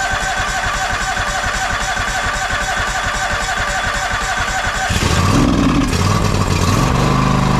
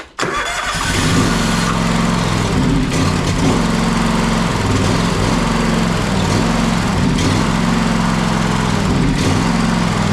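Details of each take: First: John Deere X540 with a Kawasaki FD731V engine that cut out after 15–20 minutes, after fixing fuel delivery and ultrasonically cleaning the carburetor: steady, even twin-cylinder beat, then smooth higher speed without surging; runs normally. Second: John Deere X540 with Kawasaki FD731V engine that dies after 15-20 minutes of running: it runs only with the choke held on, with an uneven, hunting, surging beat from fuel delivery starvation, fixed by ultrasonic carburetor cleaning and clearing the fuel supply.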